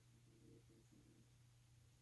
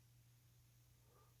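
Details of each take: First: Thorens TD 165 turntable after installing a motor thrust bearing: a faint hum breaks into a loud fast buzzy knock as the grub screw is mis-set, and the knocking goes away once adjusted properly. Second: Thorens TD165 turntable motor, previously knocking, with the platter on after a thrust bearing install and hex screw adjustment: very quiet, even run with a faint low hum. The knock returns if the screw is misadjusted.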